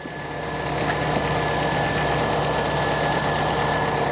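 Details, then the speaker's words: Peugeot 207 TU5JP4 engine after overheating repair and full rebuild: steady idle with even hum and faint belt whine, nothing irregular; running correctly. "vou ligar o carro aqui para vocês verem Então tudo funcionando certinho"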